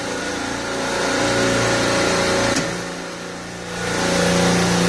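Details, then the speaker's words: Rack compressor starting after its faulty contactor was replaced, behind a high suction alarm with meat cases running warm: contactor pulls in, draws 48 amps then coming down, steady even hum, no chatter, knock or grind; normal compressor start. "Contactor's pulled in. I'm pulling 48 amps. It should be coming down."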